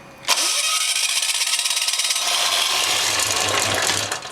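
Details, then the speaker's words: ETQ diesel engine after the injector was refitted, oil level full: whirring starter with a couple of brief low thumps, then it dies away; kicks but won't start after about ten tries, owner suspects lack of heat. "it kicks a couple times but it just won't [Music] go pretty frustrating"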